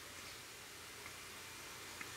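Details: Keithley 150B microvolt ammeter running on its six-volt battery pack only, AC unplugged: very quiet room with soft sparse ticks about once a second. Normal chopper ticking.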